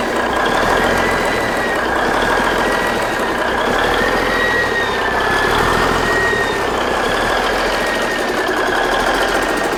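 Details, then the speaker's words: Big Cam Cummins NTC 365 diesel, first start: steady, even diesel clatter at constant speed, no misses or knocks, doesn't smoke, appears to be oiling on all cylinders; runs good. "Man, that thing runs good, don't it? Almost like James knew what he was doing. Wow. Doesn't smoke. Runs good."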